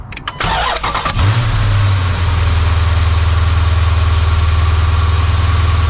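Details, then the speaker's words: Dodge Hemi after serpentine belt replacement: quick crank, fires and settles into a smooth steady idle with no squeal or chirp from the belt drive. "Serpentine belt is on. So let's go ahead and turn it on, and let's listen to this. Should be a lot more quiet."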